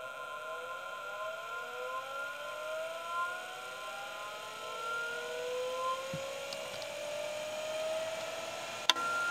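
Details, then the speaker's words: Old MFM hard drive, full-height type-12 drive, spinning up: several thin squealing tones slide upward together into a siren-like screech, a noise this drive sometimes makes; the sound is suspected to be bad. "Yeah, it sometimes makes like screechy noises, which it's doing right now. I don't know if that's a good or bad thing. It certainly sounds bad to me."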